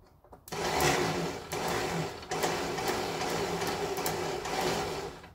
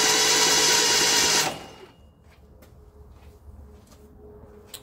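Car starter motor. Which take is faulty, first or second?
first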